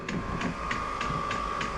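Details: Vevor diesel heater being set up in a container shop, first start with fuel line still purging: steady mid-pitched blower whine with a light tick about three times a second from the fuel pump, a normal start-up.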